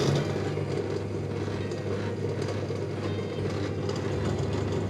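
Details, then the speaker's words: Electrolux/Simpson/Westinghouse clothes dryer running with little airflow from the exhaust: steady low hum and rumble with an uneven rattling churn; owner suspects the blower fan has come off the motor shaft. "There's hardly any air coming out. I can feel a little bit of air. There's something going on."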